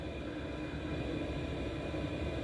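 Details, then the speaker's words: 8 kW Gearzaar Bluetooth Chinese diesel heater running on battery after a split-second changeover from mains through a switching module: steady, even roar over a low hum with no surging or faltering. The heater kept going with no shutdown, so it is running normally. "So from switch to from electric to battery, just a split moment, and it still works."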